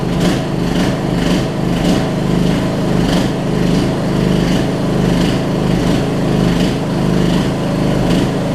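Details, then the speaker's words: Almost 20-year-old Murray riding mower, test run after new gas tank install, idling on first start: steady, even small-engine chug with smooth gentle pulse, no knocks or misses; normal running. "We got a running mower that I've been sitting on for about 2 months. Can't beat that, y'all."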